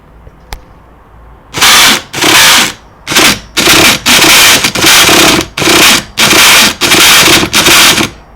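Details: Hyper 7 nitro RC car, about 4 months old, stripped and cleaned, with fuel in the lines and the glow charged overnight. Repeated short starter whirs never catch; cranks but won't start, and owner suspects the clutch.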